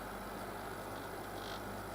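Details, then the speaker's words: Logik L20DHW12 dehumidifier repaired after failing to power up, set to 40% humidity: compressor cuts in with a quiet, steady low hum, even tone and no rattles or knocking; running normally. "now the compressor comes in I checked I set it to 40 percent humidity you know the prices working"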